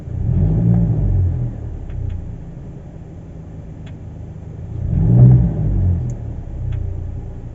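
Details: 2022 Hyundai Kona petrol, 15K km: low engine and road rumble swells twice, with a few sharp, irregular clicks as the car pulls and slows in drive, not in neutral; the car also pings in warm weather.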